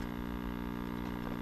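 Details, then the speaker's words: Tube radio under repair on a variac at about 60 volts AC, B plus about 57 volts, volume wide open: steady low buzzing hum with no rhythm; mains hum from insufficient power-supply filtering. "Okay, I'm starting to hear some hum from the speaker now. Right, volume is wide open."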